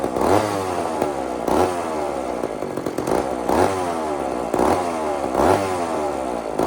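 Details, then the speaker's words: Old chainsaw (possibly 2399 or 2899 B10) on a slight prime: revs climb about once a second then sag in a repeating hunt, no steady idle. Fires but won't keep running; low-speed jet needs more fuel. "You guys know that noise, right? That's just enough gas to to get the thing to fire, but not enough to get it running."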